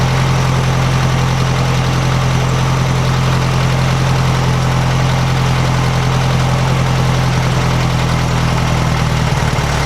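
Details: 1956 VW Beetle air-cooled flat-four after valve readjustment to 0.006in feeler gauge: deep even drone with steady low beat, no misses or ticking rattle; runs smoothly, much quieter than before.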